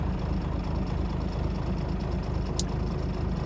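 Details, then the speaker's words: 1997 Dodge Ram 3500, 5.9L 12-valve Cummins diesel, started at about 42°F after sitting a few hours: hard start, then low, lumpy, stumbling idle not firing on all cylinders; rough running/misfire, later traced to a failed lift pump. "the customer complaint today is that after this vehicle has sat a few hours it is a really hard start so let's give it a shot here it's not particularly warm today but it's not cold either it's about 42 degrees here yeah kind of a rough start"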